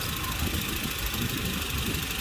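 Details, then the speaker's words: Volvo 940 at idle after tension adjustment of all three auxiliary drive belts (power steering, alternator and other): even, steady idle with soft low rumble, no squeal or chirp; nice and quiet. "That is beautiful, nice and quiet."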